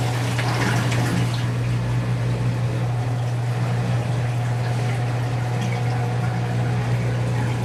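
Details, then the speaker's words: Whirlpool Duet Sport front-load washer after control board solder reflow fixing F-1 relay error, during rinse: steady low hum under moving, splashing water, drum not spinning yet; drain pump pumping out water normally. "It doesn't spin when there's still lots of water, so the pump is pumping it out right now only."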